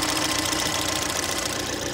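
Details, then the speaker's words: Ford Fusion (2013/2014) after replacing a biased low-side fuel pressure sensor that caused low rail pressure, rough running and hot no-starts; pressure now about 70-82: even, steady idle with light quick ticking, no stumbles; fixed. "mostly got the issue fixed so they don't have no more rough running anymore"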